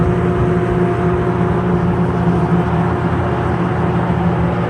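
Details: Sears Lasko 453-81310 20" box fan, eBay find, plastic motor, not yet oiled or serviced, works on all three speeds: steady even whir with a low hum underneath, no knocks, ticks or rattles; runs normally.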